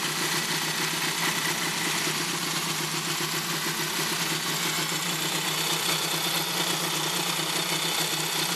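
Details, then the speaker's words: 1965-68 Honda CA77 motorcycle engine, before restoration, jump-started with improvised ground, started first try: even, quick putter at steady idle, constant pitch, no ticks or misses; idling cleanly. "they actually started the first first time I jumped it instantly started it wasn't like I had to crank it over a whole bunch of times"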